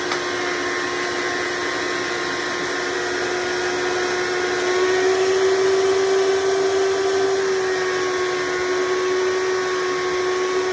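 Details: Hoover Decade Soft & Light Elite vacuum (owned since May 2024), first run after replacing 7-bladed fan impeller with 20-bladed upgrade, bearings greased: smooth even motor whine, constant pitch, no rattle or scraping; noise mostly reduced, still slightly loud.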